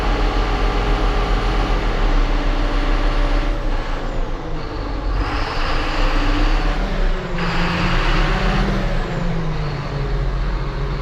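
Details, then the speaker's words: John Deere 7830 tractor diesel after replacing a seized VGT turbo actuator that caused derating: deep steady drone with even unbroken beat, no misses or knocks; judged fixed. "so all right i think we can safely probably say we got that fixed"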